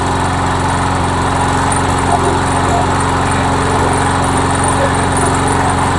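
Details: MTD Yard Machine mower with a Briggs engine, after a head gasket replacement (it had been smoking and belching oil), primed and started: a steady, even single-cylinder putter with no misses. It now runs well.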